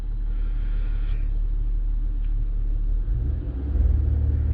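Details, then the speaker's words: 2009 Buick Lacrosse at idle, watched on live data with an Xtool D8 scan tool: a low, steady rumble with an even beat and no stumbles or skips; the engine runs well. "this engine is running pretty good so i don't know if there's going to be any any misfires noted here"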